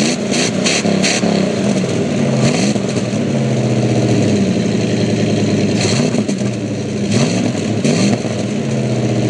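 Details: 1999 Dodge Ram 1500 with 5.2 V8 after a cold start: idle hangs too high and its pitch wanders up and down instead of settling; it revs up after running 5–10 minutes. Cause not found.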